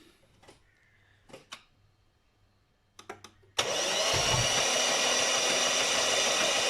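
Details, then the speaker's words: Lexus IS200 six-cylinder after a loose upper cambelt cover piece caught the belt; timing slipped, bending all 12 exhaust valves; starter spins engine fast and even with absolutely no compression, cams turn. "he's got absolutely no compression the cams turn in but I think there's a lot of damage"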